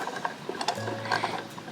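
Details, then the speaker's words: Hand-cranked yarn ball winder (ovillador) that stopped working: uneven light clicks and ticks as the handle turns, no steady rhythm, and it feels very loose; the inner gears seem loose. Heard before disassembly. "van a escuchar un ruido raro, van a escuchar como un, no sé, como que el enganaje de adentro está suelto."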